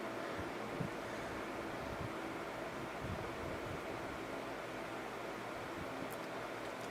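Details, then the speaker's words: 1995 Sharp 10,500 BTU air conditioner with Samsung fan motor, after cleaning and oiling the fan bearings: fan coasts down long with soft even whoosh, previous squeal gone; bearings turning freely. "it's taking a nice long time to stop and stop making that awful squealing noise anymore"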